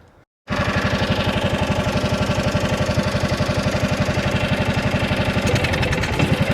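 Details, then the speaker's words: John Deere Gator, small engine; thumps at roughly four beats a second, a bit uneven, and falters when opened up. Fuel blows out of the carburetor toward the breather at full throttle; owner suspects the carburetor. Stumbling under throttle. "But one thing I am going to try to show you is I still think I have a carburetor issue and I'm pretty sure I'm going to have to get a carburetor for this particular engine."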